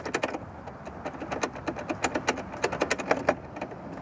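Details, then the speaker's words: Pentair Legend pool sweeper, turbine shaft spun by hand before bearing replacement: an irregular rattly ticking with visible shaft play and sloppy gear mesh. Worn turbine shaft bearings. "these spin freely but listen to it and also note how much movement there is here"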